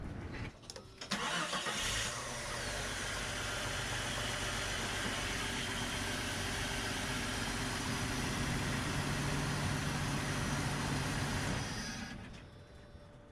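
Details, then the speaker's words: Jeep Cherokee XJ after new oil filter adapter O-rings and oil filter, fresh oil, injector pigtail short repaired, battery terminals and ground/positive wiring redone: short crank, quick catch, smooth even idle with no misses or knocks. "it's running really smooth."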